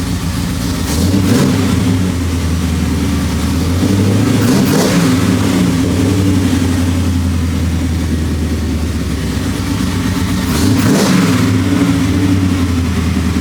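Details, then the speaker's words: 1973 Impala 406 small-block Chevy V8 with AFR aluminum heads and FiTech EFI, after replacing a collapsed lifter and fitting 2-piece guide plates; deep even idle with light throttle blips, no lifter tap. Normal idle. "So, but yeah, man, it feels good, man, having this thing fired up. And so far it seems like it's running smooth. I'm not hearing the lift and"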